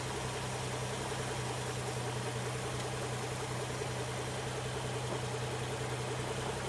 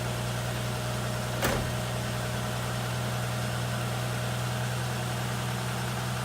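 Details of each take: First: 1960 XK Ford Falcon, first start after 12 months sitting, not yet warm; low idle with an uneven, lumpy beat instead of a smooth run; owner suspects stale fuel in the tank — rough idle. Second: 1960 XK Ford Falcon on its first start in about 12 months: smooth, even low idle hum with one brief click early on, a healthy idle. Fuel was found dripping from the carburetor right after starting.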